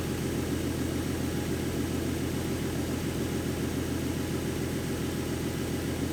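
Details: 2014 Ford Mustang 3.7 V6 after replacing the water pump with the new-version design: an even, steady idle with a smooth low rumble and no grinding or knocking underneath; the earlier knocking and grinding noise is gone and it sounds healthy.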